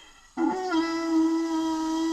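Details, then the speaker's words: 2005 VW Golf 2.0L, no-start after the timing belt jumped and valves made contact (codes P0341, P1349). Leakdown test: a steady whistle of shop air escapes out the intake rather than the crankcase. Damaged or bent intake valve not sealing. "if you're not putting enough air through to seal the piston rings you should never be having air coming out of the intake"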